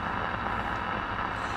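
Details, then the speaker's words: Zenith G500 Trans-Oceanic tube shortwave radio after restoration, no antenna connected, likely needing alignment and fresh tubes: steady hiss and crackle, only a weak station; weak reception with static. "i don't have any intent hooked up right now but i can tell i ain't picking up some static in there there's a weak station right there"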